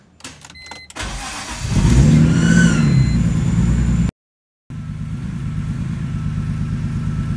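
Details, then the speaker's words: BMW E46 M3, 173k miles, first start after DIY rod bearing replacement; cold, revs briefly then steady even idle with no bottom-end knock; car shaking a little, owner thinks it just needs warm-up; slight smoke from oil on exhaust. "Car is shaking a little bit. I don't know if that's just because it's... Yeah, it probably just needs a little warm up and good idle, but..."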